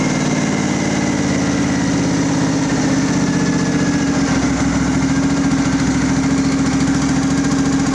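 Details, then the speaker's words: Craftsman riding mower, Briggs engine, choke off: rough lumpy idle; owner suspects air being sucked in at the fuel filter, unconfirmed. "Let's give her full throttle, see what happens. Dies. It, like I said, it might be sucking air in that fuel filter."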